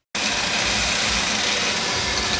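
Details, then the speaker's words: 2007 Chevrolet Equinox GM hydrogen fuel cell vehicle: a steady, even hiss of air rushing out with no knocks or pulses as the fuel cell purges moisture through the exhaust; normal fuel cell purge. "you may hear that blowing noise in the background that's the fuel cell engine or actually not since there's no engine it's the fuel cell purging uh moisture out through the"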